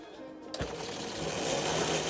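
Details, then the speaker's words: Revived quad bike (ATV) after the fire, on four 12V 15Ah SLA EV batteries giving 51V, with a 25A fuse: the drive motor kicks in and spins up to a smooth, steady, slowly rising whir, forward then reverse, with no grinding. Normal motor run. "Then the motor's going forward. Flick this around into reverse. Then it goes in reverse. She's a goer."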